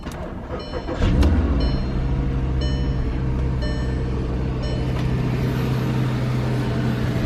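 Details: 2012 Volkswagen Passat with salvage title, started on a jump box with a battery expired since 2017: brief starter crank, quick catch, then an even, settled low idle with no knocks or misses; the engine sounds healthy.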